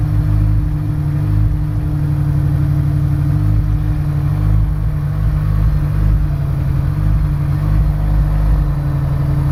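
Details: Honda S2000 petrol engine with new spark plugs idles with an uneven, stumbling beat and occasional dropped pulses, a steady misfire.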